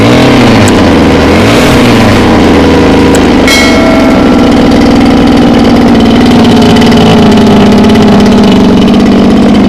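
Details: Mini water pump with small two-stroke petrol engine on mixed fuel, hard to start; once running it races loud and high with a fast steady buzz and cannot be throttled down to idle.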